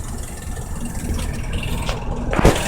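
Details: Diesel car engine, recorded on a drive to work, with a low uneven rattle in its rumble that persists despite being told an oil change had repaired it; brief handling bump near the end.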